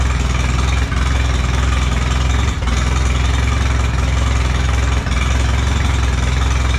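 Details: Allis Chalmers B tractor gas engine, running after a long repair, with oil pressure. A steady, even low thump at a slow idle with no misses or knocks. Normal, clean idle.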